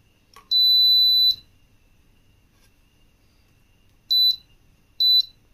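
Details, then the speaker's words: Philips Viva induction cooktop with both temperature sensors disconnected, switched on; one long high beep then two short double beeps a second apart: E9 sensor error alarm. "இப்ப நான் induction on பண்ணிக்கிறேன் ஃபர் கொஞ்ச நேரத்திலேயே உங்களுக்கு e9 error வந்துரும் சரிங்களா"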